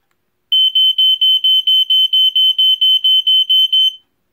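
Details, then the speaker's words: Vintage Fyrnetics Lifesaver 1255 hardwired smoke alarm (2nd-gen F-900D, battery backup) tested on AC power: fast run of shrill, evenly spaced beeps, about four a second, normal test pattern; the battery-powered unit sounds slightly higher pitched. "so that one is a little bit higher pitched as you can hear um so uh they both sound in a five six which is exactly the same coding that all the second gen f900ds that i've heard do"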